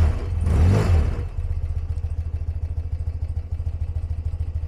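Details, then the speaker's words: 1982 BMW R100RT boxer twin after idling a couple of minutes, choke fully off: one quick throttle blip, then smooth, even low thump; great throttle response, clean steady idle. "throttle response is great it idles super smooth you can see I'll twist the throttle a little bit for you"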